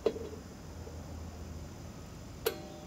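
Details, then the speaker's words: 2001 Toyota Corolla rear drum brakes, new shoes and drums, adjusted with a Leatherman from minimum: crisp isolated clicks of the star wheel adjuster, each click tightening the shoes slightly; shoes not yet contacting the drum. "it'll click as I'm turning the star wheel and every click makes it just a little bit tighter and spin it by hand it's still not still not contacting yet"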